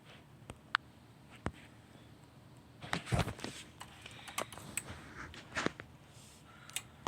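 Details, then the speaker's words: Remote-capable emergency light wired to a 12 V Mule remote head: sharp single relay clicks about a second apart as test is pressed, disconnecting power so the AC bulb goes out; transfer relay switching normally. "You can hear the relay clicking. When you press it, it disconnects the power and the AC bulb goes away."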